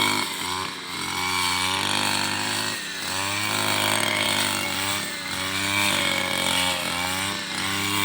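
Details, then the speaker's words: Robin NB 351 two-stroke brush cutter on 2T-oil fuel mix, at full throttle under load cutting a rice field: steady high-pitched buzz with no stumbling or dying; running healthy. "ก็ไม่มีดับไม่มีสะดุดนะครับมีแต่น้ำมันจะหมดในเราก็ลุยครับ"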